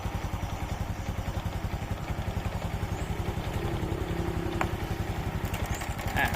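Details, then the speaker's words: Honda Dream/Wave 125 motorcycle engine, tensioner held tight idle goes quiet, released: fast metallic clatter, about three to four raps a second, over a small single's idle; loose cam chain from failed cam chain tensioner. "พอคายกลับเนี่ยอ่าโซ่ก็จะกลับมาดังเหมือนเดิมเพราะว่าอะไรครับเพราะตัวดันโซ่เนี่ยมันเสีย"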